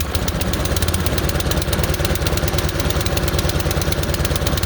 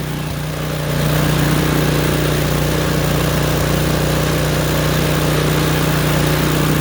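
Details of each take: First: Craftsman snowblower small engine just started cold on full choke: it chugs at a fast idle with slightly uneven, rough beats; moving the choke off a click at a time smooths it, with popping at one click. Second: Craftsman snowblower small petrol engine, start on choke: ran rough and popping until choke moved one click at a time toward full run; now steady even drone, no popping or misfires.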